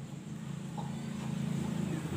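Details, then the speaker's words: Miyako mixer after replacing both damaged gearbox gears (was rough-sounding, turning unevenly): smooth, even low hum building slightly and holding steady, no grinding or rattle; now running normally. "Alhamdulillah, ternyata putarannya sudah lancar dan suaranya pun sudah halus kembali."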